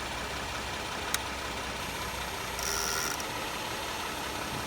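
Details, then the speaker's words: Vehicle at idle: click then a short high buzz of about half a second when the lights are switched on; relay buzzing. "just buzzed a little bit."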